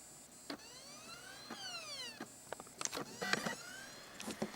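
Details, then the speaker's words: Optical Blu-ray drive in a computer, before trying laser lens cleaners: motor whirs up and down repeatedly with bursts of clicking seeks, retrying and failing to read the disc; vibration ruled out as cause. "Looks like the vibration thing was just a fluke. Yep. It's doing it again."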